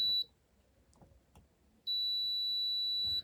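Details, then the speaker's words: Multimeter check of transistor Q402 in a Nakamichi 481 cassette deck that arrived having smoked: steady high continuity tone twice, first briefly then held over a second; Q402 shorted, to be pulled to confirm. "Q402 is bad. Let's try 401. Yeah, we'll pull Q402 also, just to confirm."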